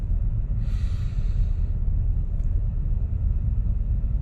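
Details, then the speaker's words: 2000 Buick Park Avenue idling after a restart, following a fix of the faulty ignition control module harness: steady low rumble with no knocks or misses, idling around 1000 rpm, which the owner wonders is a little high; normal idle. "isn't it a little high to to go at a thousand for these engines is this like 800 or 600"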